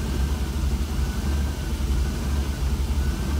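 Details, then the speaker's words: 1966 Cadillac V8 with Holley Sniper throttle body, not fully warmed up, IAC plugged in: deep idle swells and sags about once a second as the IAC opens and closes; hunting worsens as it warms up. "concerned with this I act position opening and closing opening and closing to try to keep the idol see my temperature it's not fully warmed up yet but it seems to get worse as it pulley warms up"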